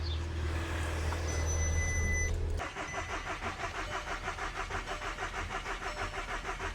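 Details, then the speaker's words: Audi TT with mechanical damage, after thick white exhaust smoke and fuel pressure jumping 40–50 PSI: engine cuts out, then cranks with an even starter chug about three beats a second without catching; cranks, no start. "And now it doesn't even start."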